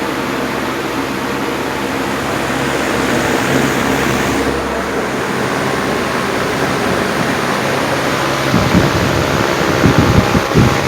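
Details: Steady even rush of air over a low motor hum, no rubbing or ticking, from a 1950s Wizard reversible box fan after cleaning and bearing oiling, running at high speed in reverse; healthy running.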